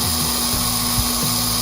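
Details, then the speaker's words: Restored Aurora slot car Maserati chassis tested on the transformer: small electric motor holds a steady, even high buzz with no catching or grinding, sounds good but needs warming up; normal running. "And how does it sound? Sounds good. Sounds like it needs to warm up. But we got a good running chassis now."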